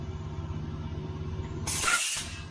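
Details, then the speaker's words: Trailer air brake stroke check for DOT inspection, tape measure on the pushrod: low rumble then a sharp half-second hiss as brakes apply, a normal application; pushrod out to 12 3/4, about 1 3/4 inch stroke, within limits. "so you just hold your tape measure up against there and this one is at 11 8 and then you apply the brakes there we go and you can see where it come out to it is 12 and three-quarter"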